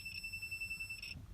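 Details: 2002 Toyota Sequoia, horn works only with the wheel turned. A new clock spring didn't help. Meter continuity from body ground to the steering-wheel ground point sounds, drops out and chirps back as the wheel turns: an intermittent ground through corroded steering column bearings.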